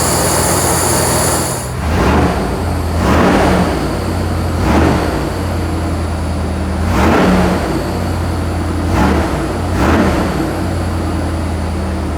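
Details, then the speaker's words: 460 V8 in a Bronco after MSD Atomic EFI install, still warming up: idle jumps sharply on about five quick blips and drops straight back without stumbling; crisp throttle response, much better than before. "I'm not gonna lie, that throttle response is amazing compared to what it used to be. I mean, just barely blipping and bam! That's friggin' awesome."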